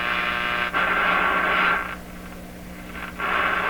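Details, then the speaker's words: Clinton 629 tube radio tested before any capacitor or part replacement, tuned to a signal generator at mid-band about 900; a clean, steady mid-pitched test tone comes through strong, dipping briefly and returning. Normal signal reception. "there strong strong strong signal well that sure took a while"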